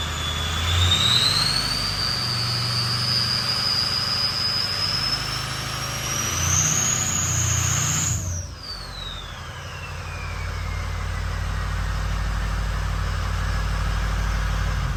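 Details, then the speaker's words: Ford 6.0 Powerstroke diesel after FICM replacement for rough running: even idle with a high whistle that climbs then fades, no stumble or miss; FICM voltage 48.5–49 V, warming up, fixed. "she's running smooth so we're gonna let her warm up a little bit more and put her third places a little bit make sure that's good so we're all fixed"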